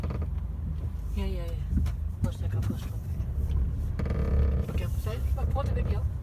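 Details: Creaking and squeaky clicks over low road rumble from the rear seats of a 2018 Mercedes A-Class when seats are folded up, reversing or driving over bumps and driveways; silent when folded flat, no damage, earlier dealer visit didn't fix it.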